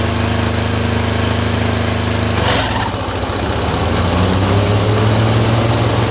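Lumpy, uneven twin beat that stumbles, then the revs swing up and down; engine surging with random misfires between cylinders.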